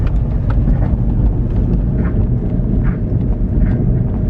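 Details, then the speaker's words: Honda S2000 driving at speed, noise only audible at certain speeds: heavy road rumble with faint metallic knock-scrape about once a second from the rear; both rear wheel bearings worn, whole assembly to be replaced. "I was like okay so this is definitely gonna be what's making us that nasty metal scratching noise all right so let me go ahead and pick up some speed because you could only hear how certain speed"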